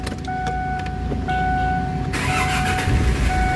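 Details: Kia Sorento automatic 4x4 after repair of a crank-but-no-start fault (electrical/voltage diagnosis): a few chime tones, then a short crank and the engine catches at once and settles into a smooth, steady run; a healthy start.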